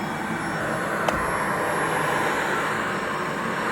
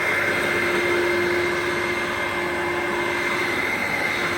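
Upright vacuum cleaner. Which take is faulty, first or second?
first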